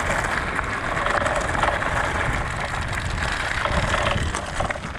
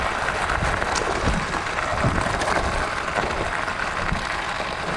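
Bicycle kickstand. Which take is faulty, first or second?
first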